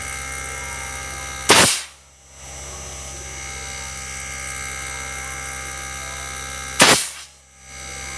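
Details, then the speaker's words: Daikin R32 inverter air conditioner after repairing the board for error L5 (compressor not running): two sharp clicks, then a steady, even hum with a high whine as the compressor starts and runs normally. "rồi Block chạy được luôn Chỉ cần nghe tiếng đề thôi là đã có thể biết được Block có chạy được hay không các bạn"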